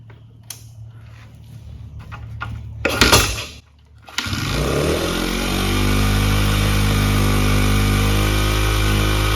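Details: Honda CRF100F kids' dirt bike being restored, started and run without choke; catches after a few bursts, settles into fast steady high idle, running better than before; idle set too high, to be turned down.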